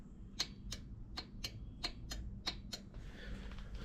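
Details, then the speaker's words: Husqvarna zero-turn mower that won't crank: sharp solenoid clicks in pairs as the key is cycled, no cranking; battery 12.54 V and fuse good, so power reaches the key switch. "I can also hear the solenoid clicking let me turn the key see if y'all can hear"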